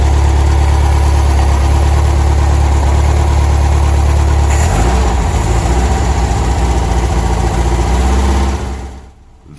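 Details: 1964 Karmann Ghia 1600 that had idled above 1500 rpm and stalled: steady, even low idle drone with a brief change partway; no rattle or ticking; healthy.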